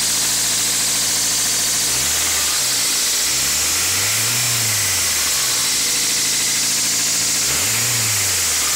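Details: 2000 Toyota MR2 Spyder idling with a harsh metallic rattle high over the engine, still present as revs rise and fall; source not yet found.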